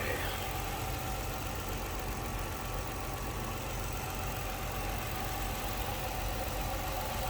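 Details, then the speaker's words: 2006 Chrysler 300 Limited AWD, 3.5 liter V6, under 30,000 miles, heard in the open engine bay: smooth steady low rumble with even beat, no knocks or misses, normal idle. "This sounds smooth, that runs. Look how nice and tight it is."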